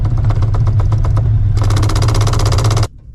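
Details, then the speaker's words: Procharged, cammed 600 hp 5.4L 2V New Edge Mustang GT at idle: hard rapid clatter about four knocks a second, then stops abruptly, from a clutch-setup part jackhammering; owner is 100% sure it's the noise. "And that is 100% what that noise is."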